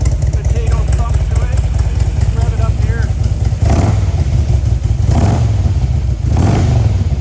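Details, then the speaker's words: 2004 Harley-Davidson Electra Glide FLHTI, Stage 3 engine upgrade, Python pipes, 35,600 km: deep, lumpy loping idle with even potato beat through loud pipes, no ticks or knocks; healthy V-twin, normal idle. "Again, this has some motor work done to it, so it's a pretty healthy motor. Let's start it up."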